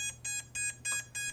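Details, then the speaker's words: iFlight Nazgul5 6S FPV drone, 2207 1700KV motors, BLHeli_S 45A ESCs, beeper activated by switch in a quiet room: five short evenly spaced high beeps about three per second; motor beeper working correctly. "can hear the motors beeping. So that's working correctly."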